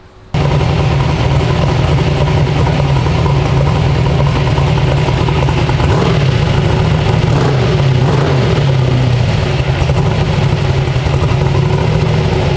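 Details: 372 small-block Chevy in an S10, heard from outside, new Holley ECU with tune still to be cleaned up and running rich: deep, steady burble firing evenly with no knocks, ticks or misses. Normal running.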